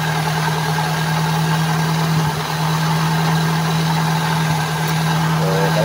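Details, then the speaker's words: Toyota Altis idling: steady low hum with faint belt whir; noisy fan belt, loud in the morning and with revs, from a tensioner no longer holding; new belt alone did not fix it. "Toyota altes mga kalam problema Pulag fan belt atong diskartehan niang iang tensioner kay wala hawid naang kwan iang tensioner"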